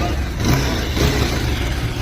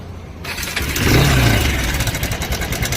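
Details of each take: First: Bajaj Pulsar 220 revved after replacing the broken timing chain tensioner with an original part: deep steady rumble swelling with each throttle blip, no rattle or ticking; sounds like original, healthy. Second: Bajaj Pulsar 220 with broken timing chain tensioner: after starting, a fast uneven metallic rattle about three a second rides over the idle; mechanic warns valves could break if ignored.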